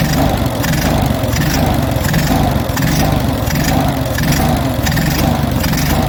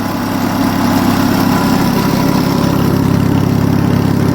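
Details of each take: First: Stone-cold Onan US military generator engine, automatic choke likely still on, with the governor recently removed and reinstalled. Speed surges and sags about once a second, hunting; the owner suspects the governor is set too slow. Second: Onan US military generator petrol engine, nearly up to temperature, idles steadily at its governed 1800 rpm after governor adjustment; earlier it probably ran slow and hunted, now smooth, no surging.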